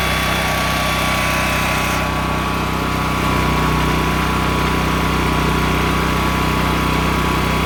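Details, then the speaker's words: Honda EM6500SX electric-start generator after carburetor cleaning and oil change, loaded with a heat gun through an amp/watt meter. A steady, even drone with a smooth hum and no hunting or surging. It runs normally under load. "so there it is sorry about the noise but obviously it's loud it's a generator"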